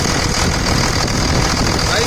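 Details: 2000 Dodge Ram 2nd-gen Cummins diesel after bypassing AC compressor pulley with 65" non-AC serpentine belt: steady, even low idle clatter, no belt chirp or wobble noise; tensioner steady, ample clearance; normal diesel idle.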